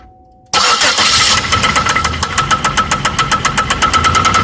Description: 2004 gtp rod knock 200000 miles